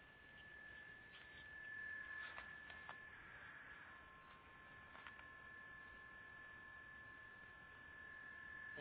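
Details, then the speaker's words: Steady high-pitched tone over faint static through a CB radio receiver, heard around 10 p.m. on the high side after being on the low side that afternoon; unexplained interfering hum. "But funny, weird noise."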